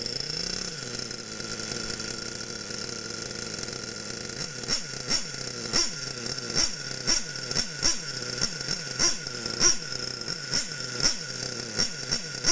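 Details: Losi Aftershock nitro RC engine, warmed up, being tuned by leaning the needle: small high-pitched engine ticks over at a steady idle with an even, light rhythmic pulse; idling normally, shuts off cleanly.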